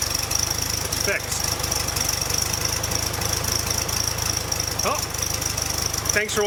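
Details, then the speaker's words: Air-cooled Volkswagen flat-four after fixing an intake manifold vacuum leak, where a stud had stripped the head threads and was helicoiled; before the fix it idled rough with a bearing-like noise, now an even, steady low thrum with no hiss or stumble. "We took it apart, helicoiled it, put it back together. Let's see if that noise is fixed. It should be, and should run a lot better too."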